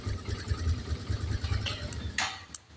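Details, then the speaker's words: Motorcycle started on electric starter while checking battery health with voltmeter; short, brisk cranking that catches quickly without struggling or stuttering; battery and starter healthy. "yan hindi kumikirat yan. Dapat hindi kumikirat."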